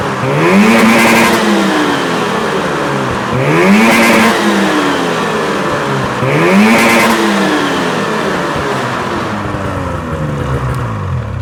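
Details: Misfiring 600 SDI two-stroke at wide-open throttle near 7000 rpm: revs in three hard bursts, ragged and uneven near the top, high-rpm misfire.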